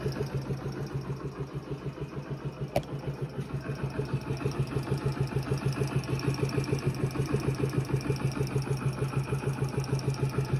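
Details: Yamaha Factor YBR K1 125 motorcycle at idle: steady, even tick about three times a second over the exhaust beat; owner says it is not the tappets, cause of the engine noise unclear.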